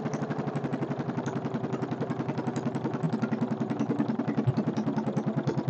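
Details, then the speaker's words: Kohler K301 stationary single-cylinder, not bolted down, first start with a bit of chainsaw gas mix: steady thump around three and a half beats a second, no sharp knock heard; owner thinks no bad knock, motor sounds good; carburetor still needs work. "motor sounds good can't tell if there's a bad knock there or not doesn't sound like it"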